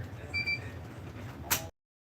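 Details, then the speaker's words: Roland BN-20 printer mid-print on a 13oz banner: a single shrill beep warning of low black ink, then a sharp plastic click as the cartridge is handled for replacement. "But whenever you hear that beeping, go to your computer and look in VersaWorks. It's going to give you the status indicator of what's going on. And right now it says my black."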